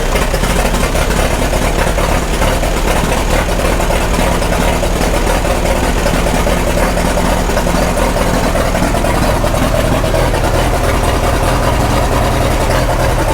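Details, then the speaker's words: 1936 Caterpillar Twenty-Two four-cylinder, first start after years sitting, at lowest throttle with 35 psi oil pressure: slow, even chug with a deep steady exhaust beat and no knocks; normal idle, shortly before it shuts off, possibly out of fuel. "actually doesn't sound too bad. Yeah. Now we're running 35 PSI oil. That's good. That's as slow as it runs."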